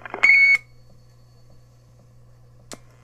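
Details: 1965 General Teletronics Record-O-Fone 100U answering machine, with the greeting just played. One clean high beep lasting about a third of a second, then a faint steady hum; a normal end-of-greeting tone.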